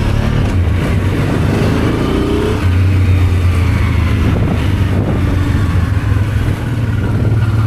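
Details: Honda Transalp 650 V-twin at first start after carburetor rebuild: deep, even thump with a clean rev rising and settling smoothly, no misfire or stumble; had started poorly after sitting two months, now runs healthy.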